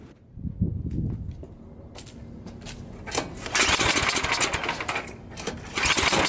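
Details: Low-hour Tecumseh Snow-King snowblower engine with a leaking intake valve: a single cylinder running rough and missing, with sharp pops; when the choke is taken off it backfires and stalls, mimicking a fuel or timing fault.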